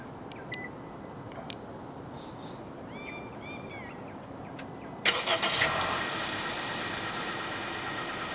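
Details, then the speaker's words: 2023 Malaysian-spec Honda WR-V 1.5 E, 1.5 L L15ZF petrol with CVT, started via key-fob remote engine start: a few short chirps, then it catches quickly and settles into a quiet, smooth idle; healthy start. "The E-Trim and above WRV in Malaysia comes as standard with a remote engine start system."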